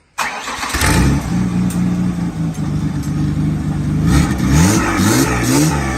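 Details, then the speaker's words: 1995 Ford Taurus 3.8L V6 turbo: catches then hunts and surges, revs rising and sagging, won't hold idle; owner suspects low fuel is causing the problems. "uh but we got to throw some gas in this over girl I think that's why it's having some problems"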